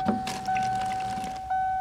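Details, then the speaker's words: 1992 first-gen Ford Explorer after fuel pump replacement via floor access hole, key cycled on/off: steady mid-pitched electric hum starting again on each key cycle, a normal fuel pump prime before the first start attempt. "alright on/off just fuel pump prime okay again off one more time and we're going to try and start it now"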